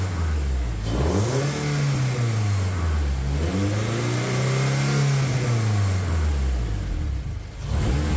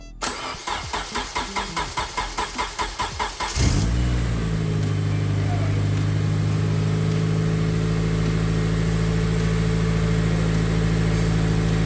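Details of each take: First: Honda K24-swapped Toyota Camry with a newly built turbo setup and full exhaust, first start, warming up and revved: loud deep note with rumbling burble and pops on overrun; exhaust flanges leaking, not the welds. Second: Honda K24-swapped Toyota Camry, first start after turbo install and new exhaust, fuel pump priming: about three seconds of rhythmic cranking, quick catch and flare, then a smooth steady idle with no knocks or misses.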